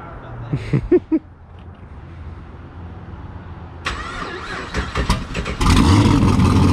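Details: 1200 hp turbo Camaro street car: quiet at first, then the engine cranks, catches at once and settles into a loud, even idle with no knocks or misses; normal start and idle.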